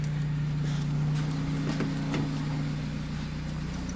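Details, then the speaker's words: Opel Agila 1.2 16v petrol, just after fuel pump reassembly, cold and running on choke: low, steady hum with an even beat, nothing knocking or missing; normal cold idle on choke. "je vais la laisser tourner tant qu'elle est au starter"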